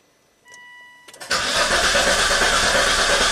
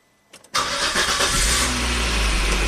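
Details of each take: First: 2004 Volvo XC90 with crankshaft position sensor signal problem, ECM-5200 DTC set while cranking and injector pulses missing: starter cranks steadily about four seconds but engine never fires. Long crank, no start. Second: 2004 Volvo XC90 with a prior long crank/stall and CKP signal fault, after reinstalling the original crank sensor and tightening the transmission ground: brief crank, then catches at once into a steady, even idle; normal start, fault fixed.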